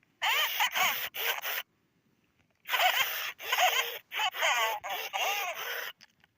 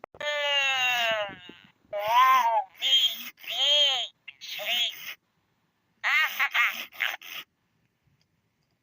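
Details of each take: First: 1998–1999 Furby with burning-out speaker, before replacement: raspy, crackling, buzzing distorted voice sliding down and back up in pitch, worsening over time, headed toward mute. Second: Here is how a Furby is normally supposed to sound.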